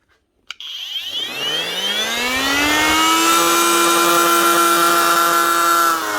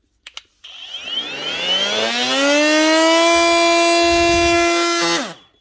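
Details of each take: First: Panasonic brushless cordless multi-tool in for repair, running flat out. Loud buzzing whine with a rough edge and rattly vibration. Technician suspects a worn motor bearing. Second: Panasonic EY45A5 brushless cordless multi-tool after replacing a 6000 bearing: motor spins up to a steady high tone, holds it smoothly without rattle or wobble, and winds down cleanly. Still loud but no vibration.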